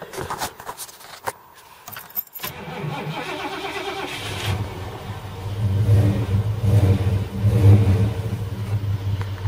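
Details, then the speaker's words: 1978 Ford LTD V8 on LPG, with a 530 CCA battery; owner thinks the earlier issue was just the battery. The starter cranks briskly and evenly, then it catches and settles into a steady idle: normal cranking and start. "Just crank it a bit. Starter sounds alright. Just got to use up all the LPG. Yeah, starter sounds fine."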